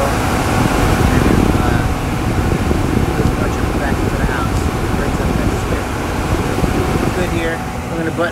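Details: Furnace blower in a gas-fired furnace in a crawlspace, just after replacing a blower motor that hummed and froze under power; new motor mounted straight to protect bearings. Soft steady airflow rush and even hum, no wobble, rattle or rubbing; normal operation.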